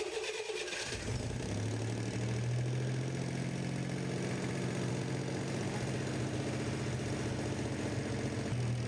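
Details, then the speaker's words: 1965 Corvair's newly installed engine at its first start, catching after a second and settling into a fast idle with loud clicking, clacking valvetrain clatter on one side; the owners attribute it to wrong parts and call it expected. "Yeah, there's just some really loud clatter on this side. Click, click, clack. We're hearing some really loud clatter."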